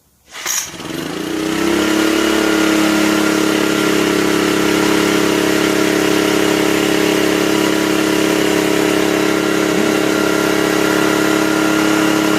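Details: 1984 Honda EM600 generator, refitted with the ignition coil properly grounded on its mount and restarted: it catches within a second and settles into a steady, even buzz with no misses or knocks. It starts easily and runs healthy.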